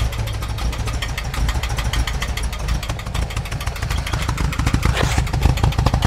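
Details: 1988 VW Vanagon just after a new mid-pipe, catalytic converter and muffler replaced the badly clogged originals: a lumpy, uneven idle with irregular thumps and shaking, sounding like a misfire. The cause is unconfirmed; grease was burning off the new exhaust.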